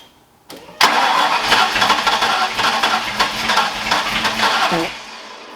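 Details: Ford Foxbody V8 just rebuilt in one day, start after adding missing coil grounds and timing adjustments; cranks, catches, then runs lumpy and uneven with a stumbling beat that never settles; owner suspects a timing issue, unconfirmed.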